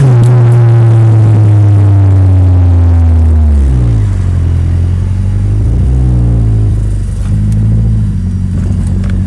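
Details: Nissan S13 petrol engine running rough and lumpy with an uneven pulsing misfire beat as revs fall and rise.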